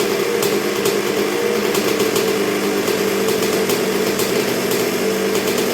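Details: 1986 Honda CR125R two-stroke, not yet fully broken in after a new .060-over Wiseco piston top end: steady low idle with quick even popping, no stumbles or misses; idling this low already is a good sign, healthy.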